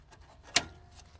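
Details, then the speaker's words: Intermatic pool timer clock motor behind the dial: single crisp tick against a quiet room, light gear click of a normally turning motor; no sound would mean a dead motor, though a second motor may be heard. "it'll sound like if you get to a pool and the and there is no sound then typically you know this that means that this motor on the back side is not working"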